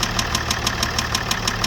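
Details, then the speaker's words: Broken, vandalized auction Range Rover L405 diesel after fixing an electrical fault: sharp steady metallic knock about six a second at idle; metal particles in oil filter and petrol-contaminated diesel causing white smoke. "After buying a broken, vandalized Range Rover L405 from the auction and fixing an initial electrical fault, I discovered that it had an engine knocking."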